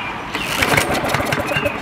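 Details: Trash-picked Craftsman mower with a repair tag, more fuel just added: repeated pull-start cranking, uneven chuffs around two per pull, no catch or sustained run; turning over but not firing.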